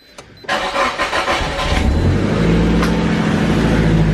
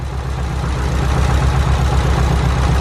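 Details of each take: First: Nissan S15 just after a faulty ignition coil was replaced, previously running on 3 cylinders: brief crank, then a smooth, even idle with no stumble or misfire and much less engine shake; normal idle after repair. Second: Car at idle, tested by unplugging coil packs one at a time: low, slightly lumpy idle that does not change with the cylinder 4 coil disconnected; cylinder 4 coil pack dead, causing a misfire.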